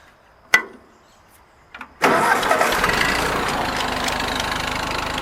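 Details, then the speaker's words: Rebuilt Ford tractor a week later, after new belt and fan shroud fix: short crank catches at once, quiet even idle, no rubbing or squeal, charging good; aftermarket carb runs slightly lean and a little poppy, needing a touch of choke. "nice and quiet runs super smooth charging good"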